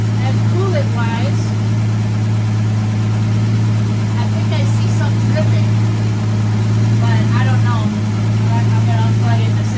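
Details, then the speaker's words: 1965 Plymouth Valiant revived after 33 years in the woods, heard from the exhaust at the rear with no muffler: loud, low, steady rumble with birds chirping nearby. Throttle still a little sticky. Idles evenly with no misfire and has cleared up a lot. "You get to see the exhaust. It's loud and it sounds horrible, but it really did clear up so much."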